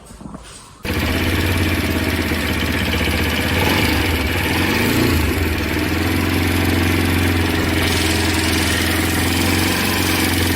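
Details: Bajaj Pulsar RS200 after a tappet adjustment to fix valve noise: the single-cylinder engine fires up and settles into a steady, even idle with no valve ticking; normal idle.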